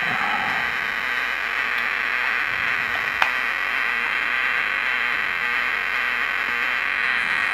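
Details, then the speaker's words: Homemade LM386 micro amplifier (about 1 W) on bench power supply: constant hiss and buzz in upper mids with no signal; owner suspects supply ripple. Fixed by adding a 10 µF capacitor on the supply line. "Oke, saya coba pakai baterai ya. Mungkin ini karena power supply-nya nggak bagus, ada ripple atau gimana."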